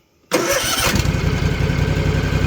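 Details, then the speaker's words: Rebuilt Kawasaki FR730V V-twin mower, 26.5 hours since rebuild, after replacing ignition coil that caused power loss and shaking: brief crank then steady even low thump, 1,200 rpm idle, snappy throttle; normal idle. "It runs so slow smooth. Before the seat was shaking. I had no RPM. No throttle response. It's snappy now. We got 1,200 at idle now."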